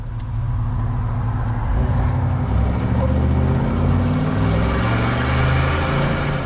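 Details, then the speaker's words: 1995 Chevy Tahoe, TBI 350, Yukon Grizzly rear locker, 4.56 gears, 35-inch tires, accelerating hard through a 90-degree turn merging into traffic: steady low tire growl, normal locked-differential scrub, wearing tires faster. "now here's a nice 90 degree that we're gonna try to we're gonna have to get on it here because merging into this traffic is is a little bit tough so you should actually hear some tire growl rather than the"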